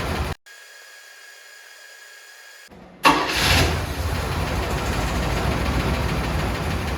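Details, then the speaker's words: 1979 Cadillac Brougham d'Elegance, 425 cu in four-barrel V8, stored about 10 years in a pole barn, new battery, running on old fuel: quiet hum, brief crank, catches cleanly at about three seconds and settles into a steady, even idle. "seems to be starting and running on its own pretty good"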